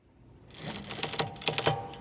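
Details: 2011 Audi A6 C6 2.0 front-wheel drive: dry, irregular crackling as the steering is turned near full lock, caused by worn front stabilizer links.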